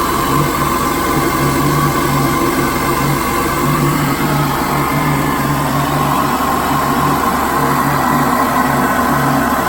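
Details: 2013 Cadillac ATS (LTG) just after installing a larger ZZP throttle body, no codes on startup: steady, even idle with smooth low hum and constant fan hiss, no misses, ticks or knocks; normal idle.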